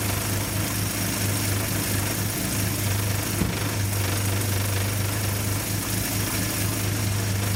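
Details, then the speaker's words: Old positive-ground Nash, recorded from a tripod at the engine in rain: low even idle hum with a soft steady patter under outdoor noise; idles smoothly and runs great. "now is that thing just purr or what I'm so happy it runs great"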